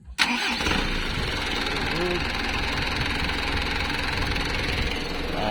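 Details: Mitsubishi 4M51 diesel with hard start and low power, after replacing the computer box and spill valve module: starter catches quickly and it settles into an even, steady idle with no stumbling or misfire; it now starts fine.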